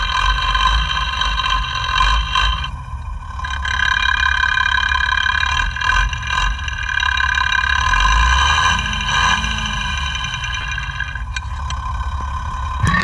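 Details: FAW truck 260hp diesel after engine overhaul, idling, mic at injection pump: rough idle with tapping knock about four per second over clatter; number one fuel injection pump plunger knocking.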